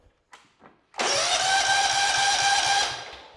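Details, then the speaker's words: Kohler Command CV15: the starter cranks evenly but the engine never fires. With the ground wire off there is still no spark, proving a bad ignition coil; a new coil is to be installed. "Okay, so that proves that we have a bad coil. Let's go ahead and install a new coil."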